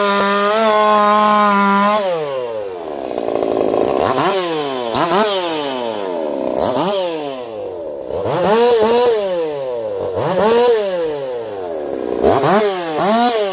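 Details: Echo CS4910 chainsaw with experimental taper-top piston/crank swap, 6° advance, running a little warm, compression about 180 psi cold, 170 warm; high steady full-throttle scream sags and recovers through each cut, clean, no popping, strong and healthy.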